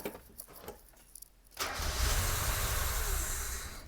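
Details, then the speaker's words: 1990 Mazda Miata after top-end rebuild, first start attempts, plug wires swapped on the coils after an intake backfire: engine turns over and roughly tries to fire for a couple of seconds but won't settle into an idle; no sustained start. "i was still getting an intake backfire and obviously that that non-start that you saw earlier so i switched that and let's give it a go"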